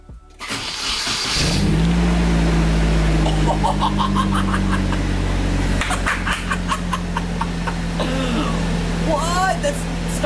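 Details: Nissan 240SX KA24DET, first start after new 555cc injectors and flashed ECU tune: brief crank, catches straight away and settles into a smooth, steady idle with no misses, a clean, healthy start.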